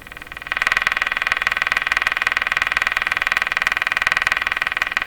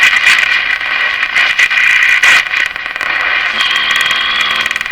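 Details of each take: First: Canadian Westinghouse Model 684 radio after cleaning up the IF bypass circuit, on the broadcast band with a live antenna: the French test station comes in as a clear, steady pulsing tone with little hiss; reception good. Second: Canadian Westinghouse Model 684 tube radio, after cleaning up the IF bypass circuit, on live antenna: harsh crackling buzz with irregular bursts and dropouts over hiss, believed external interference, not the radio.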